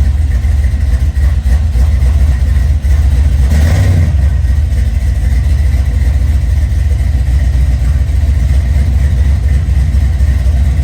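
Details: 1979 Chevrolet C-10 with a 5.3 LS swap, first start after a roughly two-year build, new gas tank fitted and fuel leak fixed: steady, even low rumble with one brief blip, no misses or knocks; normal idle.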